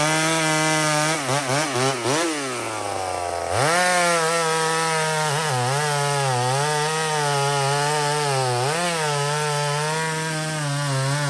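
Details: Small Homelite two-stroke chainsaw on a stock chain (owner says a better chain would cut faster) in maple: a strong high-revving howl that sags as the chain bites, then recovers cleanly. Normal cutting under load.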